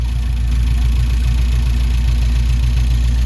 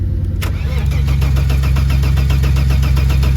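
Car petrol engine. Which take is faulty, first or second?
second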